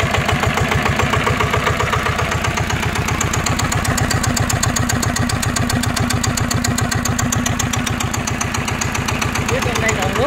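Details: NF19 water-cooled single-cylinder engine (original, unmodified) at steady idle: strong, even thump with crisp, regular firing and no stumbles, no vibration or shaking; running healthy.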